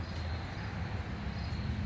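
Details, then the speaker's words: Alita 60 air pump after rebuild: low steady hum with faint even hiss of air and no knocking or rattle; much quieter than before, only air noise remains, output strong. "Oh, look at that, so much quieter. It's almost no noise. The only noise you're hearing is from the air."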